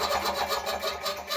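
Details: Relay/contactor-controlled compressor on 230 V AC mains in New Zealand, with start/stop switch: rhythmic pumping pulses beat evenly, then fade as the motor runs down after stop is pressed; normal compressor shutdown.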